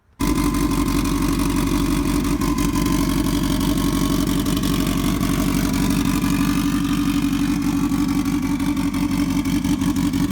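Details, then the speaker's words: Subaru WRX STi hybrid swap with aftermarket cams: deep choppy idle with a rhythmic lope about three pulses a second, steady and even; healthy, though an issue appeared on later drives. "It sounds really good with the cams. It lopes really nicely."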